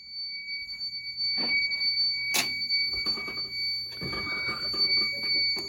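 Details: Home fire alarm test with an SK2 panel (broken resistor, no batteries). After the Firelight BG12 pull, high shrill horn tones pulse over some clatter and handling. The horn and strobe sound normally.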